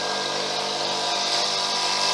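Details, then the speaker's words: Small free air compressor found put out for scrap: it reached about 30 psi the day before, then stopped compressing; now the motor runs with a steady hum and even mechanical clatter but builds no pressure. "i ran it yesterday and it went up to about 30 pounds pressure and then it kind of stopped compressed had me compressing and now it runs but it's not building any pressure"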